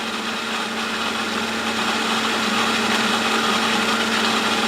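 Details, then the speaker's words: Replacement pump on a test stand after the previous unit vibrated and rubbed, running at 2550: steady even hum with fine high whir, no knock or rattle; running smoothly, sounds normal. "still very smooth sounds normal at 2550"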